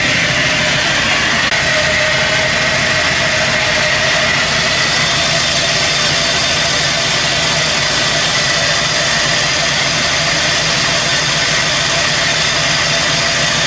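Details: Chevy C10 V8 after new wiring harness, injectors and a sensor hooked up, with the vacuum leak now fixed: even, steady idle with no hunting, stumbling or hissing; normal idle.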